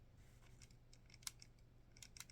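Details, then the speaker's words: Glorious Model O Wireless gaming mouse; faint irregular crackling creaks each time the shell is pressed, loudest in the middle; plastic shell creaks when pressed. "You can probably hear the creaking especially prominent right in the middle of this mouse, it's not terrible."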